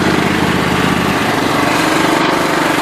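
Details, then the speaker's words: John Deere LT133 lawn tractor, hard to start (possibly gummed carburetor suspected): loud, even single-cylinder chatter at steady speed with no misses or knocks; runs well once started. "It runs like a top. It sounds really good."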